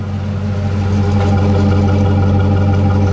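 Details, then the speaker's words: Two-wheel-drive truck: steady, even idle with smooth low hum and no knock or tick standing out; normal idle. "Like, it's running great, so."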